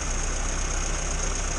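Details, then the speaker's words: 1962 Morris Minor with a suspected ignition fault, Aquaspark electronic ignition; distributor cap just cleaned and the car idles short and even with a steady low beat and no skips or misfiring for now. Running fine at the moment. "okay I've moved everything wrong and cleaned the distributor cap and everything seems fine at the minute"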